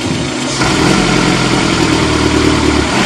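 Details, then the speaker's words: Car with D-EFI (MAP-sensor-based) injection, MAP sensor connector unplugged: starts and settles into a rough, uneven idle but will not rev when throttle is applied, no pickup. "di gas tidak mau"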